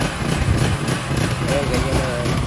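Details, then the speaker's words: Nitto 3800-watt generator before carburetor cleaning: uneven, sputtering, raspy putter even with no load; rough running from a dirty carburetor, which cleaning fixed. "Ganito yung tunog niya pag pinandar siya. Ayan. Umaandar siya kaso garalgal siya yung naging kahit wala pang load, ang pangit na tunog"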